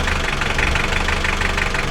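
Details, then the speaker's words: Mitsubishi L300 diesel, hard starting with white smoke and weak pull, after timing belt fitted and injection pump timing adjusted: even diesel clatter at a steady idle with no stumbling; the engine now holds idle cleanly. "Kita panasi kawan, nanti takut tekor kawan. Gimana kawan? Sekarang mau stasioner. Oke, nah, kita berhasil."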